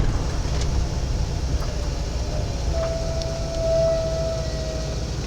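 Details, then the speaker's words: 1995 Ford E350 van stopping: a thin, steady high-pitched squeal holds for a couple of seconds; brake squeal the owner attributes to old drums needing replacement. "I don't know if you heard that but that was a slight squeal that you'll hear from from that"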